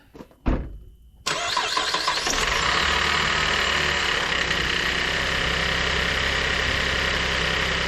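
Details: 2011 GMC Terrain GM 3.0 V6 before a timing system rebuild: it cranks and catches, then a busy metallic chatter, a "death rattle", runs over the idle from the first seconds of startup.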